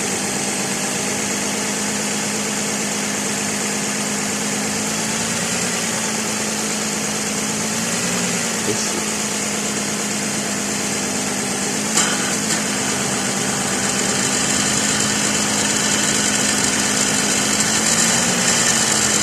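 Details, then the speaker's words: 2006 Lexus ES330, 3.3L 3MZ-FE V6 idling: harsh metallic grinding rasp near the alternator and AC compressor, returning the day after a belt change; traced to the alternator area and a loose alternator bracket bolt. "When I powered the AC on, the annoying metal-on-metal noise was also completely missing. I was happy, but my happiness was not to last. The next day, the noise came back in all its fury."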